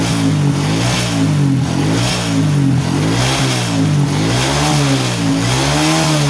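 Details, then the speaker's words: Honda Supra X125 that had already burned out two CDIs, test run with a Jupiter regulator and Shogun 110 CDI plugged in without cutting wires. Clean idle, then smooth blips up and down with no misfire or stutter: normal idle and revving. "Oke, teman-teman. Ini berfungsi dengan sempurna, teman-teman. Suara mesin saat idle terdengar bagus dan tidak tersendat pada putaran tinggi."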